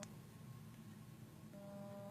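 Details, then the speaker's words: Samsung Galaxy S4 hidden service menu low-frequency test at 300 Hz: a faint, steady low buzz through the earpiece over quiet room noise, earpiece reproducing the test tone and working. "300 Hz. I can definitely hear that, so hopefully the camera will be picking up on that as well. So that's the frequency of sound coming through the earpiece there."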